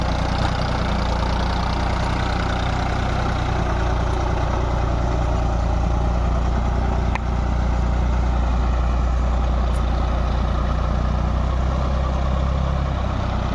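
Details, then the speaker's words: Tractor diesel engine after diesel pump repair and setting: steady, even beat about 200 pulses a minute, no misses or uneven firing; sound right and taking load properly. "देखिए हमारी तो तसल्ली होगी आवाज भी सही load भी सही ले रहा है"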